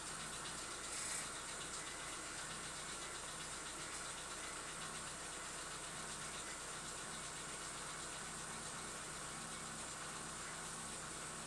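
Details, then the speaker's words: Chevrolet Lacetti cold start and idle: fast, light, even ticking from the top of the engine as hydraulic lifters knock cold for about 15 seconds, then stop; no knock when warm; owner is testing an anti-lifter-noise additive. "Присаживаемся в наш автомобиль и сейчас послушаем, как у нас стучат гидрокомпенсаторы на холодную. Запускаем двигатель и слушаем."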